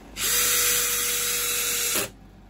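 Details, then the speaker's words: Bosch GSB 18V-90 C cordless drill driving a screw with the Control Precision Clutch on: high whir that stops dead in under two seconds at the set torque with no rattle, normal electronic cut-off. "You will see how when the machine reaches the stop I have the button activated But it has worked activated and it does not move we simply loosen it and it works again we manage to leave the screw according to the point we select but the rattle will not sound"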